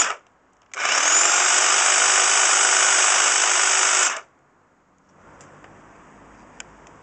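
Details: Class 2 double-insulated electric hedge trimmer after repairing its cut flex with a flex connector, tested on a table: a bright, even high-pitched buzz for about three seconds with a clean stop; the motor and blades are healthy.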